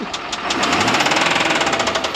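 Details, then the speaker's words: 2014 Ford truck with about 190k miles that barely runs, heading for an engine swap: rough-running engine with a fast, even tick riding over the idle; clearly worn, but the tick's source isn't pinned down. "yeah she ticks a little bit okay well me fire her up let's see what she sounds like yeah sounds like a [Music] mess"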